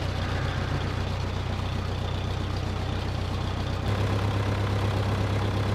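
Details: 1968 Case backhoe diesel after replacing the fan belt with an adjustable link belt on a slightly misaligned alternator pulley: even idle with a steady low throb and no belt squeal heard over the engine; runs normally.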